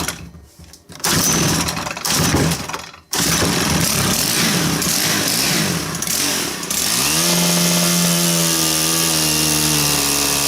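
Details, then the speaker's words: Stihl KM130 combi-tool with chainsaw attachment fitted, under load: engine stumbles and surges unevenly, then clears and climbs steadier with a little choke; starving for fuel, owner suspects debris under the main jet. "I mean it's running but if I give it a little bit of Choke it levels off a lot so it sounds like it's starving to me starving for fuel put a bit of Choke to her it sucks a bit more fuel in and the way you go"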